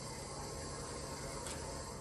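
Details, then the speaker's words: 1970 Ford Bronco sitting for years, fuel pump with pulse-width modulator comes on when main power and fuel pump connector plugged in with key on; faint steady constant whirring hum; fuel pump running. "So when I plug this in, we will probably hear the fuel pump come on. Yep."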